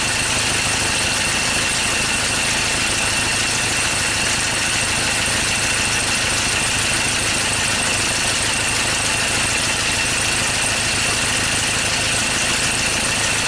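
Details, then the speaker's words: 2013 Ford Ranger T6 diesel idling rough after a routine service, with loss of power and stalling; lumpy, uneven beat with a dull stumble every few firings, a misfire traced to two non-contributing injectors. "so that sounds like a misfire"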